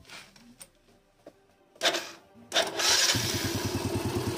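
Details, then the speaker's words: Yamaha Vega ZR / RR motorcycle after clutch plates were replaced: engine catches and settles into a quick idle with a light tick over each beat; mechanic suspects the clutch nut is stripped/loose and plans to replace it. "sini Masbro ada suara titik-titik sedikit aja sih ada suara sedikit kelitik disini jadi agak risih gitu ya"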